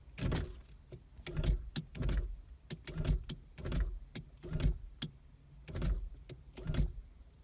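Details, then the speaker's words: 2006 Nissan Sentra rear power window: short repeated motor whirs each ending in a dull clunk, glass not moving; motor turns but not free-spinning, regulator suspected bad or off track, not confirmed; motor/regulator kit to be ordered. "like it might be just off the tracks but I hear the motor going it's not free spinning alright I definitely think the motor is bad or the are not the motor I think the regulator is bad"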